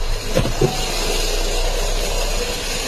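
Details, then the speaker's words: 2009 Saturn Vue idling with a couple of hard, uneven knocks early on over a rough, rattly run. Abnormal engine knock. "all right I got a 200 2009 Saturn view in today and it's making some God awful noises so let's see if you guys can guess what's wrong with this one"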